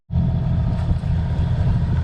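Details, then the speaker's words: Sailboat's engine idling in the Mediterranean in winter: a low, steady drone that repeatedly dips and slows before recovering, while the overheat alarm stays silent. Idle rpm is sagging and the cause is unknown. "the engine's doing this like weird thing where it's just like it's not overheating, but at the same time it keeps slowing right down."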